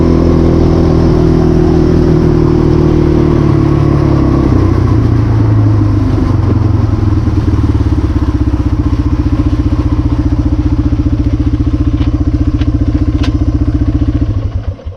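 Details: 1996 Yamaha Timberwolf 250 single-cylinder ATV, first run this winter above 20 degrees (46 today): steady, even idle for about fourteen seconds before shutting off; sounds healthy and stays running.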